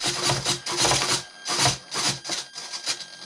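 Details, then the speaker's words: Trojan T-28 RC warbird aileron servo found faulty after a crash; short high whirring bursts with gritty grinding and a pop as it sweeps, from a bad tooth on a servo gear: stripping servo gear, to be swapped. "you hear it kind of pop and when i'm going down it'll kind of see that it's got a bad tooth on one of the gears in the servo there it goes"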